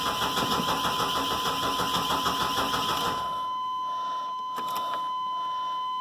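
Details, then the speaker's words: Chevy truck with 4.3 engine, new battery, just over half a tank of fuel: starter cranks evenly about three turns per second for three seconds without firing; no fuel pump prime heard, failed fuel pump suspected, not confirmed. "I do not hear the fuel pump. Usually you can hear those turn on. And I bet you that's what's wrong with this truck. Probably needs a fuel pump."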